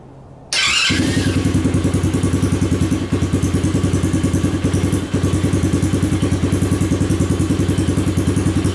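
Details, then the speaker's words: 2021 Tao Cheetah ATV, basically new with under an hour of use, after carburetor replacement for bad gas; started with brake held and key turned, it settles into a loud, steady, even single-cylinder beat about three per second, no misses or knocks: normal idle. "I'll just hold the brake, put it in the run position, and turn the key. Yeah, that's pretty loud."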